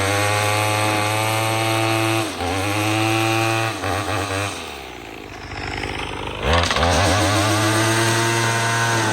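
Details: Troy-Bilt TB22EC string trimmer that wouldn't start after sitting, after primer bulb replacement: crisp, high buzzing two-stroke drops to idle and revs back up cleanly and evenly while trimming; running properly.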